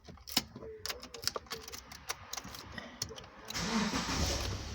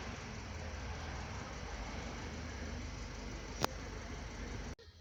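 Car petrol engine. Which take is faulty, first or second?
first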